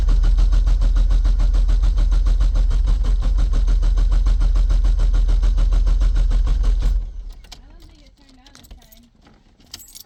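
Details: Budget K24-swapped Honda Civic (Accord donor engine) cranks evenly about three and a half turns a second for seven seconds but never catches after codes erased and fuel pump primes; fuel pressure reads about 10: crank, no start.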